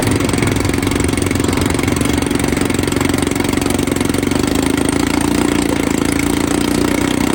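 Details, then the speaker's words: 1954 Evinrude 7.5 HP Fleet Twin outboard, revived from no spark with new coils, cleaned points and a rebuilt carb (new gaskets, float, needle), hood off: a steady, buzzy twin-cylinder putter with an even beat and no misses or rattles; normal idle. "Well guys, this thing actually runs pretty dang good."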